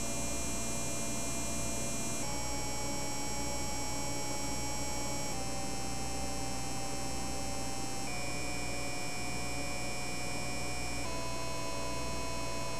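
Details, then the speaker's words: Repaired Laing DDC pump with new DIYINHK PWM PCB, speed lowered in BIOS, microphone right next to it: smooth steady whine stepping down in pitch and loudness; max 5200 rpm, above a factory max believed to be around 4200. "so as you can hear there is definitely some audible noise difference in the rpm ranges 5200 RPMs that I'm getting off of this at max is above the factory speeds"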